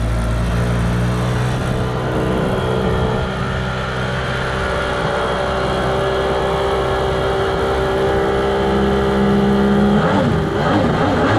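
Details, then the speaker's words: Kawasaki 1100 ZXi jet ski, after stator, CDI and fuel pump replacement and new spark plugs, running in the lake: uneven, wavering drone, never a clean steady note; owners suspect the stock CV carbs and later order 38 mm carbs to replace them. "all right guys in the last clip you saw this thing in the water it wasn't running right at all and we're pretty sure that it was these junky cv carbs"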